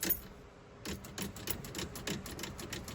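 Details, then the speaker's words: Flooded 1970 Dodge Dart Swinger V8 parked since the early 2000s: sharp uneven relay clicks about three a second with no cranking when key turned; starter suspected seized, unconfirmed. "Well, I hear the relay clicking, so that's something."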